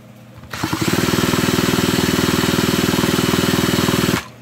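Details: Vintage McCulloch Mac 110 chainsaw, found sitting in water at a dump, pulled over evenly at about four strokes a second. Wet, sputtering compression and no firing as it spins water out of the cylinder before a spark test.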